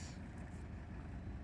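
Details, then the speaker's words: 1984 Mercedes 300 SD W126 diesel, restarted after pouring water into the exhaust to flush out soot: low steady diesel rumble, even beat, no misses or knocks; smooth idle, running better. "Very good. Ah, it's running better too."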